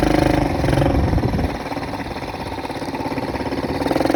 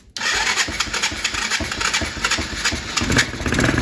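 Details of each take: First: Kids' Chinese ATV on a test drive after warm-up, following a repair with a new carburetor: the small single putters, then revs up smoothly and holds a steady buzzing pull under load without missing. It runs fine. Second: Kids' Chinese ATV, restarted after fuel was wiped up: it catches and keeps revving high and ragged with no settle to idle. The runaway idle comes from the carburetor, which leaks at a gasket.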